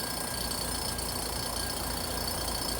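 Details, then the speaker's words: 2-ton heat pump, no heat, low side ~50 psi (expected 85–96) and high side ~350, liquid line and outdoor coil freezing: constant droning compressor hum with thin steady tones; compressor noise from low refrigerant charge. "And we got this noise on this compressor. So as you can see, it's about 50 on my low side and about 350 on my high side."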